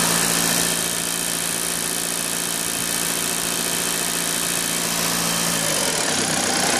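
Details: 2009 Audi A6 2.0 TDIe diesel at idle. A fast, fairly even metallic tapping over the clatter, seemingly from the common-rail fuel rail area; source not pinned down. The alternator also behaves oddly.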